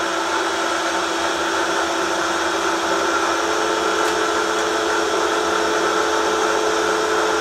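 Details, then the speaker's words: Milling a vee block from old forklift tine with carbide cutters, an angle cutter and coolant, 1 mm cut off the top: steady cutting roar with ringing uneven chatter, louder as cuts deepen, from cheap Chinese arbor runout. "he hub's they'll my cheap Chinese Arbor what you can hear it have some run out in it and as these cuts get deeper this thing gets louder because of the way the the Arbor is out of round you only have a few hit and so then it starts kind of chattering a little bit"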